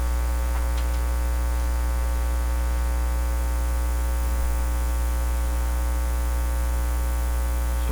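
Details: Nordmende Norma Luxus tube radio with tap-sensitivity, socket removed for bench testing as a tube is pushed in: steady low hum with brief crackling bursts as the contact shifts. Tube socket contact failure is suspected, then doubted; intermittent contact noise.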